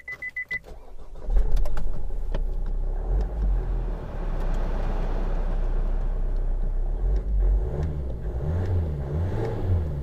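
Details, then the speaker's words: Vauxhall Mokka 1.7 turbo diesel (Isuzu-developed) at start-up: a few beeps, then a loud, clattery, coarse but steady diesel idle. Unrefined by nature, nothing wrong; normal diesel idle. "Beeping off. So yeah, it's quite agricultural. Although the engine's quite unrefined, it's quite torquey, which is handy when you've got this car full of people and things."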